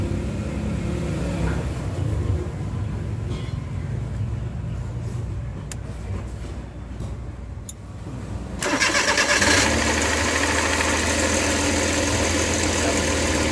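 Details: Suzuki Multicab K6A, previously wouldn't start: fires after some quiet clatter and settles into steady, even idle with no misses or knocks; healthy.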